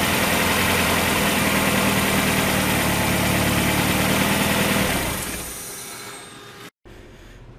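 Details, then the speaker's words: 1994 Mazda Miata after a new timing belt, run with no accessory belt and the cooling system not yet filled, just warming up: smooth, even idle with no knocks or ticks, then a clean shutoff; normal idle. "I heard everything I needed to hear the engine sounds great it's running smooth as glass"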